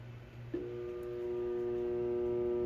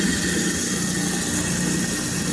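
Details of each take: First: Garbage disposal switched on: steady electric buzz with no spin-up; the unit is stuck and not turning, nothing lodged in the blades, a jammed disposal with its motor stalled. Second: Garbage disposal that had been stuck and buzzing, after freeing the blades manually, run with cold water: steady even whir with a faint high squeal over running water, no hum or stall; spinning freely again.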